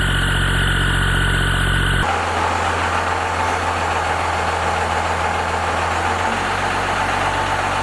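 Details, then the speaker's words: First-gen 12-valve Cummins diesel, before valve adjustment: rough idle with loose, clattery tapping over the knock throughout; valves out of adjustment with excessive lash. "we're going to do like a before and after to see how different and how out of whack these valves are, how much they need to be adjusted."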